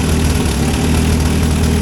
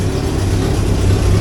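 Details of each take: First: 1963 Hillman Super Minx engine: runs at a fairly even idle about nine seconds, then sags and dies from fuel starvation; fuel pump faulty beyond an air leak, owner suspects its valves aren't opening and closing properly. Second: 1963 Hillman Super Minx after fuel pump repair and negative-earth voltage regulator conversion: low steady idle with even beat, no misses or knocks; charging, oil pressure okay, running smoothly.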